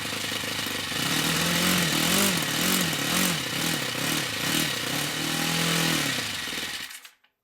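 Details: Old OS FS60 10cc four-stroke model engine after its worn-out bearings were replaced: crisp, even buzzing note swelling and dipping with throttle, then cutting off; runs smoothly and healthily.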